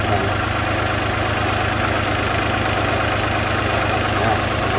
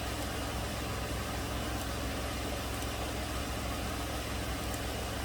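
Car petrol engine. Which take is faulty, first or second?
first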